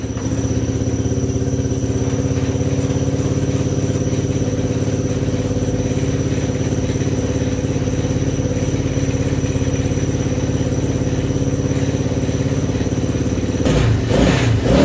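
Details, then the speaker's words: Honda XR80 engine in a homemade shifter kart, first start-up after revival; steady even idle about three and a half beats a second, no knocks, runs like a top; owner notes a small squeak in the head and needs oil. "Thing runs like a top."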